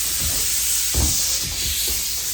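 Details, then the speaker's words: Inflating the flat, cracked tires of a 2002 Big Bear Venom 1200 chopper that had sat about 10 years: a continuous sharp hiss of escaping air with a few soft bumps. The air hose is leaking. "Love leaky hoses. Not trying to be dead on accurate with air pressure. I'm just trying to get it inflated."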